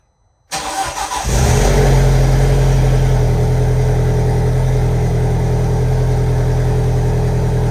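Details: VW 1.8T engine first start after rebuild, turbo oil line still unplugged: catches quickly, settles into loud idle with slightly lumpy, uneven misfire-like beat, smoke burning off exhaust.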